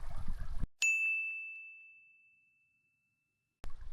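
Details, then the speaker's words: Subnado underwater scooter on paddleboard kit, switched from turbo mode by double click: single clear high beep fading over about two seconds, confirming slower trolling-speed mode. "This is on the turbo mode. If I click it twice, you'll hear it beep, and that's the slower mode."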